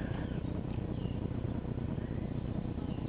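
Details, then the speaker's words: 1954 reel mower with restored Briggs & Stratton model 6S 1.6 hp single-cylinder engine, makeshift throttle valve, new exhaust: quiet, even putter at steady speed, no knocks, misses or surging; runs good. "Runs good."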